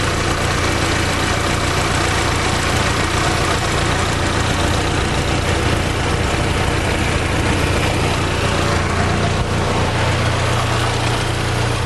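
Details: Fiat Palio 2010 1.4 8V Fire, in for a tec-tec engine noise, idling after coolant flush work: smooth, even low idle with a steady rumble and no tapping or knocking; normal, healthy idle.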